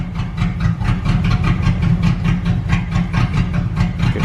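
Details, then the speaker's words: 1998 Jeep Grand Cherokee with blown head gasket, late in a Blue Devil sealer treatment: idle stumbles in uneven lumpy pulses a little over twice a second, never settling; rough, erratic idle, sounding like it will die. "minutes to go I hope it survives oh it's not sounding good man it's not sounding good it's gonna die"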